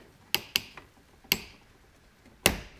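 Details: Torque screwdriver set to 36 inch-pounds with a modified bit adapter, tightening a breaker terminal screw. Four sharp isolated metallic clicks over three seconds as the clutch slips at set torque; normal clutch click.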